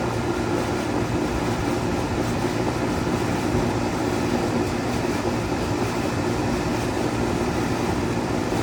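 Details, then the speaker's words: 2003 Carrier 38CKC 3-ton condenser, Bristol reciprocating compressor, 18-inch three-blade galvanized Revcor fan, just started: steady, even fan roar over a smooth compressor hum, no knocks or rattles; suction line cold, liquid line hot, running normally. "so here we have a 2003 carrier 38 38kc three ton air condenser unit that just fired up just recently"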